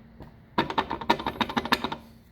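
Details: A 1975-82 C3 Corvette taillight lens gives a quick, hollow plastic clatter. It rattles because its mounting anchors have worn out, so the screws just spin; the fix is replacing the anchors.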